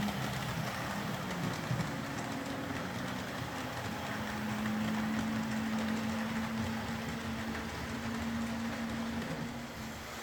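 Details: Old Hornby R751 Class 37 model locomotive after repair, wheels cleaned of corrosion with a rotary tool and brass brush, body refitted, on track: smooth steady motor hum, light even whine, wheels clicking over rail joints, no stutter or grinding; normal running.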